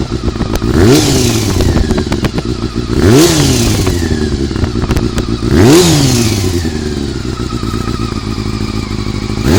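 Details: Honda CBR400RR after riding at Ebisu Circuit: three sharp revs with metallic clatter rising with revs; abnormal top-end noise, suspected cam gear train, unconfirmed.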